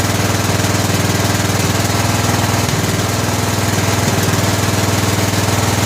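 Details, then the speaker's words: 2000 Scotts lawn tractor built by John Deere, Briggs & Stratton Intek 17 HP overhead valve engine, after oil change; single-cylinder thumping about 200 a minute with occasional uneven pops. "so she's still popping a little bit I wonder if it's more of a Mist than a pop maybe we got to just throw a spark plug in a real quick see what that does"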